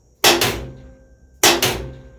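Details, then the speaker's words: Switch-gear on a Cummins engine fed by three 12-volt batteries through a knife switch: the DC contactor pulls in with two sharp, violent bangs and a crackling arc hiss about a second apart, normal for DC, the arc contained by an arc chute. "now what you're going to see this contactor is going to come in it's going to look and sound violent but it's just the way this is"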